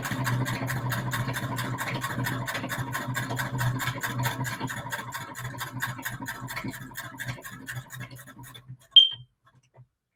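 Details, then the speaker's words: Sewing machine stitching a straight seam on patchwork: quick, even ticking stitch rhythm that slows and stops with a click, running normally; bobbin found empty afterwards. "so i do hope this is enjoyable for y'all i personally really enjoy the sound that she makes"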